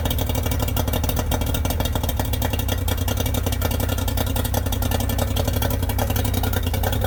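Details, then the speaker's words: Yamaha 90hp three-cylinder two-stroke outboard on a 16ft bass boat, not run for a couple of months, carbs cleaned twice, plugs and coils swapped: it starts right up but runs lumpy with a firing gap because #2 won't fire; cause not found. "She starts right up, but will not run on all 3 cylinders. Number 2 will not fire."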